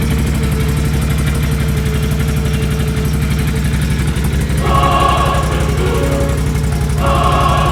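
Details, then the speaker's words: 2016 Can-Am Outlander L 570 XMR after new spark plugs in both cylinders to cure a miss: steady, even twin beat about three pulses a second, partly under music, no stumbles; firing on all cylinders again. "sweet she's back to firing on all cylinders again"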